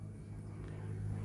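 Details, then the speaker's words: Dodge Grand Caravan after a morning no-start (sputtered but would not turn over); loose K4 run/start relay in the fuse box pushed back in, and the van now starts: quiet, steady low hum with an even beat, no sputter or stalling, a normal idle. "and uh went in and it started."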